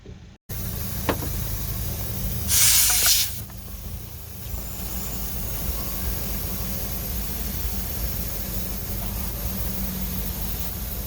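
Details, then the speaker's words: Motorcycle tyre with a failed puncture plug, plugged with no air pressure in the tyre, re-inflated at an airline: short sharp hiss of air escaping past the plug over a nearby running engine; plug not sealing, new tyre needed. "so this plug hasn't worked you can hear the uh you can hear the air leaking out from there well new tyre needed so that's the end of the road as far as this tire is concerned"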